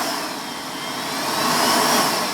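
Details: Vorwerk VK-140 Folletto vacuum cleaner, previously repaired, run through its speeds: steady high motor roar sags then climbs back over a couple of seconds. Speed surging blamed on a failed control-board capacitor powering the microcontroller supply.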